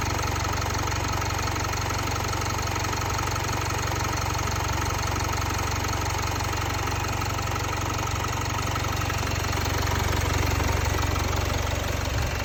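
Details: Jaguar XE 2.0 Ingenium diesel after the timing chain was replaced at 72,000 km: steady, smooth idle with a low drone and no knock or rattle; noise and vibration clearly improved.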